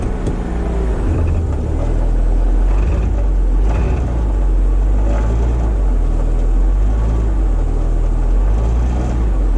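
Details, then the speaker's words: Car with unmonitored downstream catalytic converters, microphone underneath, in gear: loose gravelly marbles-in-a-can rattle over deep exhaust rumble; downstream cat internals breaking apart, risking restriction and burned upstream cats. "Yeah, it doesn't sound too good, does it? That's the downstream cats. The insides of them are breaking apart,"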